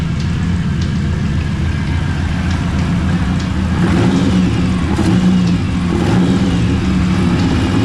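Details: TVR Cerbera V8 at idle before replacing coils or plugs, previously running rough and over-fuelling; uneven deep idle with a loose rattle at the front, owner suspects the air-con compressor moving; rattle at front of engine at idle.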